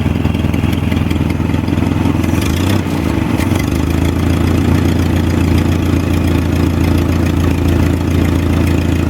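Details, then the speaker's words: Jacobsen G-10 tractor engine idling after revival, rotor loosely fitted on mismatched distributor shaft flats: hard, slightly uneven thump about 3-4 beats a second; owner suspects timing slightly off, not confirmed; otherwise runs well. "Timing sounds like it's a little bit off because that rotor sounds like it's firing kind of hard, but aside from that, I'm happy with it."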